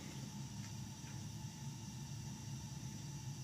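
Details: Lennox steam boiler on a no-heat call, fired after a rigged replacement transformer and with a bad vent damper found: quiet, steady low rumble with soft even roar, no pulsing or banging; burner firing cleanly.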